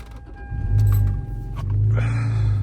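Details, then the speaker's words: Lexus SC300 steering wheel tilt: two short bursts of low motor whirring with a faint grind while the column does not move, a stripped gear spinning without engaging. "You can hear that little grinding noise. That's just a little gear that's spinning but not catching on to anything."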